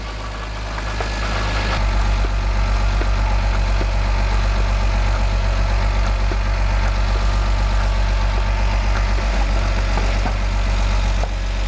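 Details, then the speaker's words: BMW E46 M54 engine, first start after rebuild and exhaust manifold install: steady idle with quick even light ticking from lifters still clattering until they refill with oil. "so that knocking is the lifters they're going to fill back up"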